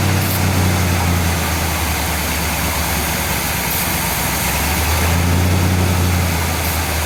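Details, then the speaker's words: 1959 GMC pickup, 327 small-block Chevy V8, first start in 15 years, brake cleaner sprayed at the carburetor base: rough idle shifts speed partway through; vacuum leak at throttle shaft or base gasket, carburetor to be removed and rebuilt. "well there you go I think we can conclusively say that the throttle shaft on this carburetor or the base gasket is toast"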